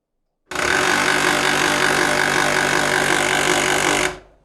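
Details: HP LaserJet P1102w laser printer at power-on: loud, harsh rapid rattling crackle, about four snaps a second, then cut off by unplugging; customer reports it cracks and won't print.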